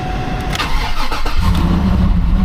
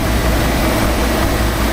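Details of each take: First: yeah it's got some exhaust going on doesn't it it really just sounds like somebody chopped the muffler off Second: Nissan Titan V8, possibly a 5.3 (owner unsure), idling at an auction lot: deep, steady rumble with no knocks, ticks or hunting; sounds healthy, normal idle.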